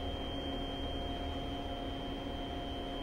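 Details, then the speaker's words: Bridgeport CNC mill homing at startup after axis drive enable: smooth, even whirring with steady tones and no knocks or grinding as the spindle rises on Z and the table moves to its X and Y limits; normal. "in homing the spendo goes all the way up this is referred to as the z-axis up and down the table moves all the way to the left"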